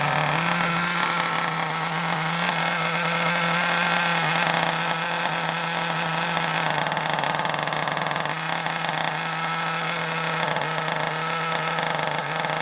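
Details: Kyosho Mini Inferno ST 09 nitro just started with a starter box: high buzzing idle, steady but a touch low and slightly uneven; idle speed too low, to be turned up slightly.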